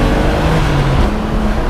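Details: BMW drift car with welded differential, daily driven; with revs up a strong steady low drone without the drivetrain chatter or pulsing it gives at low rpm; drivetrain running smoothly at higher rpm.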